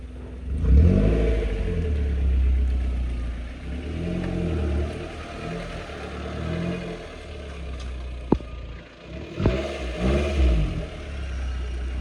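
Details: Modified Maruti Suzuki Zen after a major service for misfire, head leak, wiring and starting faults, with new oil: the engine pulls up cleanly and revs in smooth, even surges with only a brief clatter and no stumble; running normally.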